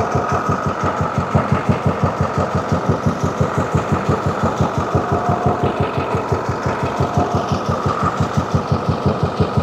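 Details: 2014 International MaxxForce diesel, won't exceed 20 mph, check engine light on with engine and transmission codes; heard from the front of the engine, a rough, uneven pulsing idle pointing to a cylinder misfire; injectors to be tested next.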